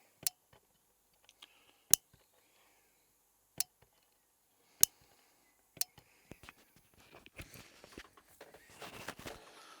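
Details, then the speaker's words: Train Tech RL1 DCC-controlled relay unit, microphone placed next to it, throw command sent to address 111: crisp single clicks a second or two apart. The relay switches properly. "So I'll send a throw command, and you can hear that clicked and clicked again."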